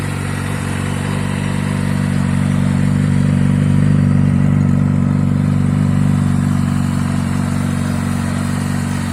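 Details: Kawasaki Ninja ZX-6R four-cylinder, very low mileage, new TÜV inspection, recorded for sale: smooth, even idle with a steady fast pulse, no knocks, ticks or misses; normal idle.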